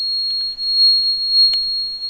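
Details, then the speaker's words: Gas changeover switch emits a continuous high-pitched beep alarm after gas injector 3 is disconnected while running on gas: open-load fault, injector signal lost, system switches to petrol and records the error (Energia Italy diagnosis). "Now you hear that the switch is playing this sound, and as you see here, gas injector 3 is in open load."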